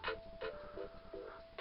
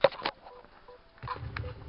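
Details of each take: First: Campervan speakers fed by aux from a laptop running on battery with the charger unplugged: crisp, clear music with no hum, buzz or interference. Interference appears only when the laptop is powered. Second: Campervan 12 V PC speakers fed from a laptop on charge via aux: irregular crackles and pops over low hum and hiss, appearing only when the source is powered; ground loop interference, eliminated with an inline filter.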